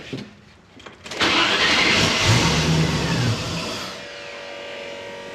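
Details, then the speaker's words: Range Rover Classic: engine catches after a short crank, runs rough about two seconds, then sags and dies; fuel pump primes and it turns over on starter fluid but then stops, so the owner suspects fuel starvation, leading to a fuel filter replacement. "and that's it that's all she does she'll sort of start but then it [Music] stops"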